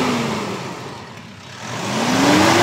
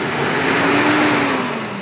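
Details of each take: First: Mitsubishi Strada (about a 2019 model) that had black exhaust smoke and a hissing leak under throttle, after replacing the turbo hose: engine revs smoothly up and back to idle with no hiss or whoosh. The leak is gone and it runs normally. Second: Mitsubishi Strada, about 2019, diesel, black exhaust smoke on acceleration: steady airy hiss and droning over engine note when revved, engine labouring; boost leak from torn turbo hose, fixed by replacing hose.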